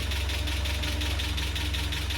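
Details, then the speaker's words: Land Rover Series 3 idling after its first start following a head gasket replacement; a fast, even ticking clatter of five or six per second rides on top; owner suspects valve clatter or low oil, not confirmed. "Where's that clatter coming from? What's that, valve clatter? Not enough oil?"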